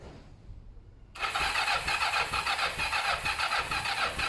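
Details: Kawasaki ER-5 twin during service after carb cleaning and new fuel hoses: quiet, then steady starter whirr with even pulses about twice a second, never catching; cranks but will not start. Owner thinks carbs have fuel and plans to check plugs.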